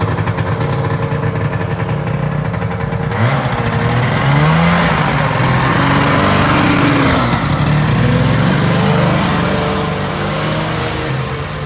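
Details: 1974 John Deere JDX8 two-stroke snowmobile running with a raspy, crackling edge from an exhaust leak, but still sounding pretty good.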